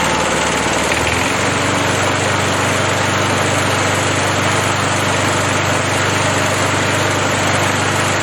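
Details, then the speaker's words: 37-year-old Montgomery Ward mower, Briggs & Stratton 3.0 hp 92502 Vacu-Jet carb, hot restart after choke diaphragm replacement for hard hot starting: catches within a second, steady even idle with no stumbling; fixed. "going to start it hot on half throttle well i think it's safe to say it's fixed and we'll call that job done"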